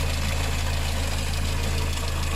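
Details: Engine with timing chain and rocker arms, idling: a deep, even hum with a faint, light tick on top, like a tapping hydraulic lifter; cause suspected, not confirmed. The head gasket is to be replaced.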